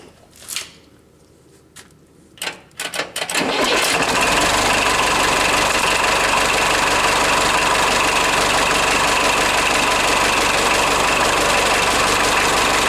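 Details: Forklift after repairs; its alternator is fixed and now charging, and its battery was sluggish. Brief cranking, catching in about four seconds, then a steady, even idle with no knocks or misses. Running healthy.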